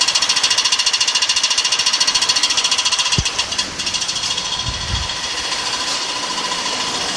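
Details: BMW E46 engine with a fast, even ticking knock, roughly a dozen a second, over the engine note; owner later found an air leak under a gasket, check engine light constantly on; engine knocking.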